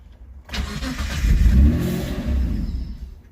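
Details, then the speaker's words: Engine test run with idle control valve/stepper motor removed, causing cut-out at tick-over: starts and revs strongly, then sags as throttle closes and dies at idle; stalling at idle. "Yeah. I've got to figure out this ticking over next. See if I can rest something up against the pedal. That might stop it from cutting out."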